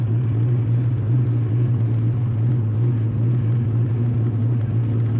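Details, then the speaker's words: 1988/1989 DECH Foxbody Mustang No. 005 with 347 stroker V8, bump-started after years sitting, coolant water added: deep smooth V8 rumble at steady idle, no tapping or stumbling; seems to idle okay. "so the odd gas we put some water in the overflow car seems to be idling okay"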